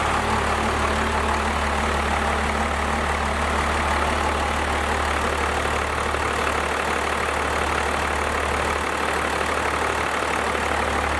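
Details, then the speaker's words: First-gen Cummins diesel, 4-inch straight pipe, idling just after advancing the injection pump timing, before the idle adjustment: deep idle with a steady loping beat of about three pulses a second; tone seemed to bump up slightly after two seconds. "I almost want to say at first when it started up it sounded exactly the same, but after it ran for like 2 seconds I do want to say the tone did change a little bit. It did sound like it bumped it up a tad."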